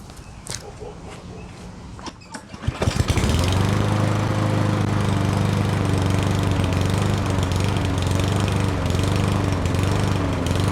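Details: Yardworks self-propelled mower, 173cc engine, with no spark because the brake handle wasn't pulled back far enough to unground the coil, handle clamped back with vice grips: catches after a few clicks and settles into a steady, even putter; normal running.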